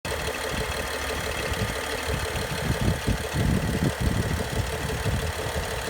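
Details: BMW N55 engine at idle with both timing chains, VANOS, belt and pulleys all new; irregular low clatter and knocking over a steady hum. Source of the abnormal noise not found.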